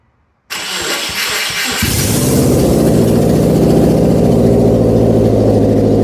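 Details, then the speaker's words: 2004 Subaru 2.5 TS swapped engine, converted automatic to manual, start with no exhaust: brief crank, then loud unmuffled but even idle with no knocking; healthy start. "yes the car with no exhaust on it at all is loud as but good news that engine does not sound like there's anybody hammering away on the inside of it"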